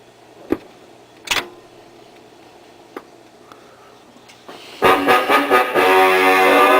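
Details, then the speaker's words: Webcor Musicale Model 333 record player, reassembled: a few needle clicks and handling taps, then a 45 plays full, clean and clear with no hum, rumble or warble; playback of 45s and 33s healthy. "well you can hear it plays very nice and clear 45s and 33 s"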